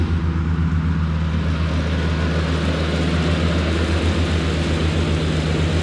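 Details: Cushman front-deck diesel mower, bought as scrap with a supposedly bad hydraulic pump, tires freshly aired up, mowing grass: steady, even diesel drone with a low unbroken beat holding firm under mowing load; normal running under load.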